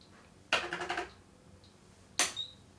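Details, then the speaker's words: Glory SR600 cash register, powered on, shows loading then beeps and fails to work: two short rattly bursts of fast clicks about two seconds apart, silent between; unexplained clicking from inside, owner suspects a short. "hmm sounds like some sort of short in it it doesn't really sound like something that I would expected to be making"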